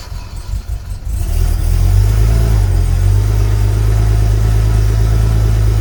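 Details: Sunseeker XPS 25 powerboat, BMW B220 engine, on a water supply, after priming the fuel filter water separator pump: catches after a few ragged turns, then settles into a steady, even deep rumble with no misses or knocks. Normal running.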